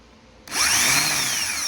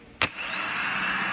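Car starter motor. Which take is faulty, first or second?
first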